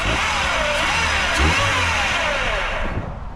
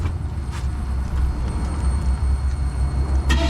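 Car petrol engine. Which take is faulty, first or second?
second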